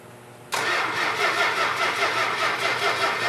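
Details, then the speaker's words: 1971 Dodge Challenger R/T 440 six-pack on an engine run stand with the fuel pump on: steady rapid cranking, roughly 2.5 turns a second, that never fires. There is no spark, caused by a faulty ignition coil. "yeah we got no spark the fact that the 440 didn't fire right off is because of a faulty coil"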